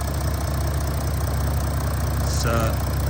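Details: February 2020 Audi S4 3.0 V6 TDI turbo diesel, 8-speed automatic, just over 48,000 miles, heard at the engine bay: low steady idle with a faint even injector tick on top, sounds healthy.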